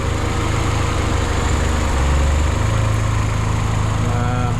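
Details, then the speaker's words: Vauxhall MK4 Astra GSI turbo idling on first start after cylinder head replacement (new head, collapsed followers replaced), turbo oil pressure primed: even low hum swelling slightly then settling, no knock or tick; no leaks, slight white smoke from coolant in bores; normal idle. "So it's running now, no leaks so far."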